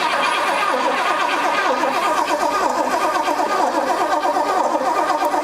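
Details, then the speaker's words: 1972 Pontiac LeMans barn find, sat about 20 years, with a rusty distributor rotor and old plug wires: steady starter churn about one beat a second with uneven firing bursts; spark confirmed, tries to catch but won't run alone. "Oh, yeah, we're getting it. I heard it. Whew. Just must not have been getting that good."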